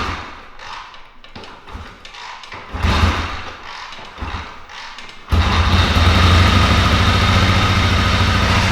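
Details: 1974 Triumph Bonneville T140V parallel twin, lights on and fuel on: a few weak kicks with thuds, then it catches and settles into a steady, even idle rumble. Normal kickstart and healthy idle.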